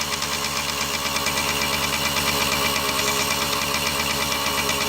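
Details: Kawasaki KD80 two-stroke running after oil system, carburetor and ignition repairs (a shorted switch wire was fixed), first run in about ten years: crisp, steady idle with an even buzzy crackle, no misses or surging.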